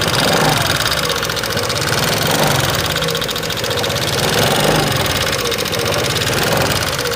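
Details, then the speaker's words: 2018 Honda Vario 125 FI scooter at idle, light check with the engine not yet opened: fast, uneven light ticking, about four per second, at the front engine area. The complaint is a rough, ticking engine. Valve tappet noise from excessive valve clearance. "pada suara motor Vario 125 FI ini terdengar suaranya menggelitik ya teman-teman gelitik-gelitik seperti itu jadi pada motor Vario ini suaranya gelitik-gelitik gitu teman-teman ya"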